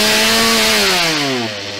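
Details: Stihl chainsaw after a cold start with choke closed and throttle locked, then choke moved to half-open: high, clean saw buzz drops smoothly in pitch as the throttle is released and settles toward idle; normal return to idle.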